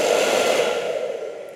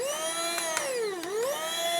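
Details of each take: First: Hair dryer after repair of no-speed, weak-heat and burning-smell faults by disassembly and dust cleaning: smooth, even airy rush with steady mid hum, no rattle or scrape, working at both settings and every combination. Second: Small travel hair dryer: thin, high motor whine that wavers in pitch with no air push; it heats, but the fan blade has come off the motor shaft.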